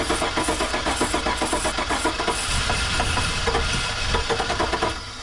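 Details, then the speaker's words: Truck with an empty tank, given starting fluid in the intake: starter churning, then uneven chuffs as it briefly fires and dies; brief firing on starting fluid, so spark is present but fuel is lacking. "hey all right we got a little tickle"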